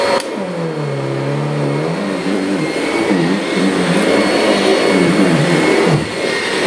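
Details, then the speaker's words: Kirby Sentria vacuum after replacing the impeller broken by a vacuumed nail: motor run in dry mode, a steady loud roar and smooth whine with slight pitch wander, no vibration or thumping, running normally. "okay let's uh get our motor turned on put it in put it in dry here we go ooh no vibration"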